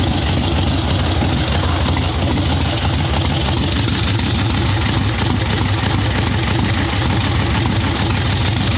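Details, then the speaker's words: Harley-Davidson Ironhead Sportster chopper, Mikuni VM38 carb, kick-started without choke; steady low V-twin rumble, no stumbling, snappy at about 1/8 throttle though briefly boggy initially. "So it is taking throttle way better now. Still a little boggy at first. That sounds substantially better than it did."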